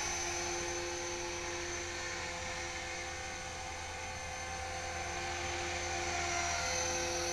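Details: HK-450GT electric RC helicopter after rebuild, gentle test flight at dusk, trimmed well enough to hover without touching the sticks. Steady high motor whine over even rotor thrum, constant pitch, no wobble or rattle. Normal hover.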